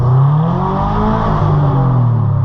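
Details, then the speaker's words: 2010 Subaru Impreza hatchback on test drive, window down, clutch biting right at top of pedal travel: revs climb and flare under throttle without matching pull, rough into second; clutch slipping badly, later replaced. "Wow. Yeah, that is that is slippy. That is slipping quite a lot."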